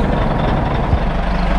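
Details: Caterpillar 3406C diesel in a 980C loader idling after the fuel system was run dry and bled with a vacuum bleeder; deep low rumble with even, unbroken clatter and no misses; normal idle after priming.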